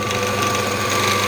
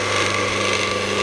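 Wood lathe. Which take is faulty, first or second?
second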